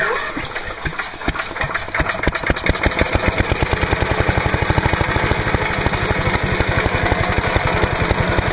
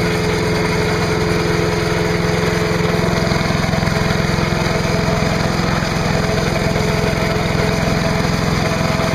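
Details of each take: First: Trash-picked MTD Yard Machine chipper/shredder with 5 hp Briggs & Stratton engine, air cleaner removed, starter fluid sprayed into carb, on choke: catches with ragged uneven firing then a steady rapid beat; has spark and draws fuel, so little wrong. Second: Trash-picked MTD chipper/shredder, 5 hp Briggs & Stratton, after new spark plug, new air cleaner, oil change and clean gas: steady even chug at constant speed, no misses or knocks; running healthy.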